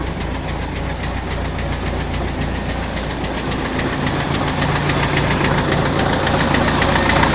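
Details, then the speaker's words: Tractor diesel, fuel pump and injectors already checked and ruled out: sharp regular metallic knock about three to four per second over clatter, heard at idle and mid revs, not at high revs; damage later found in cylinder 4. "На оборотах не чуть його, а оце на холостих, на середніх."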